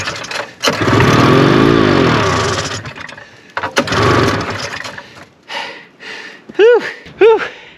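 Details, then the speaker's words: 1974 Arctic Cat Lynx snowmobile, fan-cooled 340 two-stroke, sat outside 5 years, cold snowy day, fed brake cleaner and choke, trying to suck fuel, fuel very old. Two pulls each give seconds of ragged firing that fades and dies: it tries to catch but won't run. "i see it's trying to suck fuel the fuel is real old um seems like it wants to go so i'm going to keep juicing her and tugging on her"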